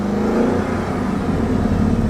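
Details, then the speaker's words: Chrysler 300C 5.7 Hemi V8 AWD that burns oil badly: it starts and runs, then idles worse and worse with an uneven, stumbling beat from a severe misfire. "it starts it runs and then it starts running worse and worse and then starts doing that number"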